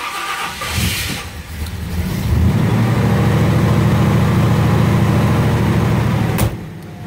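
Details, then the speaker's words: Ford Galaxie with Holley Sniper EFI, fuel prime at 150%: starter churns about two seconds, engine stumbles then catches and holds a steady low idle; sometimes struggles to start, fuel prime setting suspected; hard start. "but what I've noticed is and we'll see if that happens this time or not when I go to start it sometimes it struggles a little bit"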